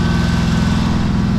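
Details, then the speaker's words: Cheap used riding lawnmower's small single-cylinder engine, long stored, left to sit and warm up: a smooth, even low thrum at a steady speed with no misses or knocks. Normal running. "all right guys so we got ourselves a running and running and cuttable more so i think what we're gonna do is we're gonna fill up the tires i'm gonna let it sit and warm up for a little bit"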